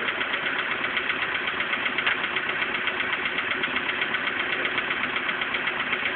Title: Стук двигателя поло седан до замены поршневой